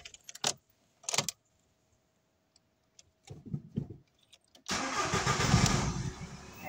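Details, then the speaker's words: VW Golf 4 diesel with crank-no-start and pump errors: after a loose, poorly tightened battery terminal was found, a few clicks then the engine catches straight away into a steady diesel idle; normal start. "Погана клема. Автомобіль завівся. Лема погано затягнута на акумуляторі."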